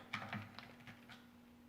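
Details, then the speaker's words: Rifle being reassembled into its bedded stock, action screws torqued to 55 inch-pounds: quiet, irregular light clicks as it is shaken come from the magazine box sitting loose, which is correct clearance rather than bound up. "You can hear that magazine box clicking. That's because it's in there loose like it's supposed to be. If it's tight and bound up, it's not right."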